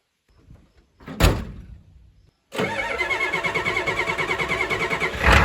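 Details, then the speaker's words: 1989 Ford F-250 with 351 Windsor, cold start using a little ether: long, uneven cranking with a lumpy pulse about three per second before it catches; hard starter, though much better than before. "That might not seem like too good of a start, but compared to how it was before, I mean, that's a dream."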